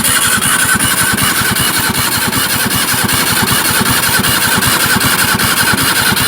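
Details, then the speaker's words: Barn-find Zastava 850 left stored for years, faulty ignition switch: starter churns at a steady, even beat for seconds but the engine never fires; no spark, coil suspected. "we got no SP it's obvious L we haven't got any spark"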